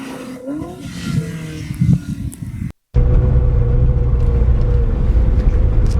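After a brief dropout a deep, steady exhaust rumble holds even with no misses or knocks; the engine is running healthy.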